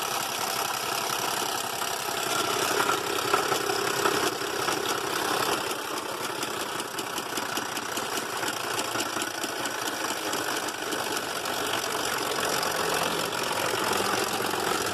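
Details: 2005 Buick LaCrosse 3.6 V6, 142k miles, towed in after shutting off on highway, misfire codes: rough idle with loose bottom-end knock and heavy top-end clatter; engine considered done.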